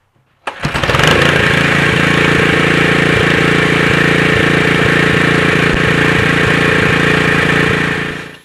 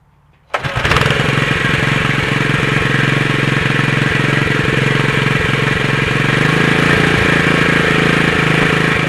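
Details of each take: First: Honda GX120 4 hp single with a new replacement carburetor and the Excel spark plug refitted after the other plug seemed to misfire: it catches quickly and settles into a steady, even beat with no hunting or surging. It sounds healthy. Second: Honda GX120 4 hp single with a new replacement carburetor, running on a newly fitted torch spark plug: it starts quickly and runs fast, but the beat stumbles with skipped pulses. Owner felt this plug was missing; an Excel plug ran better.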